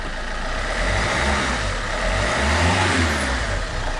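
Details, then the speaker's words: Alfa Romeo 159 1.9 JTDM diesel after fitting new exchange turbo, intake pipe pushed on unsecured: revs rise and fall freely several times with clean even rush, no hesitation or whistle; normal revving. "so I'll quickly just push the intake pipe on not secured it but push it on so it can feed the air correctly sounds healthy and more importantly I can do this which is awesome"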